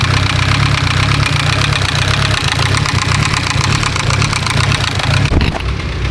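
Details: Mitsubishi Evo 10, started after sitting in another shop; loud uneven rapping from the top end over the idle, no codes; knock traced to a faulty MIVEC variable cam timing gear.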